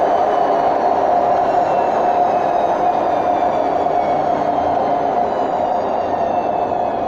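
Constant rumbling roar with a droning hum held through the spin, pitch barely changing: the drum bearings are worn out.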